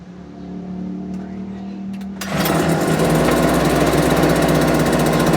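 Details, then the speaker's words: Homelite UT08572 small two-stroke after getting it running, not yet warmed up: putters slow and uneven at idle before being blipped to a fast buzz; idle speed set too low, owner might adjust it. "Actually like the idle's a little bit too low."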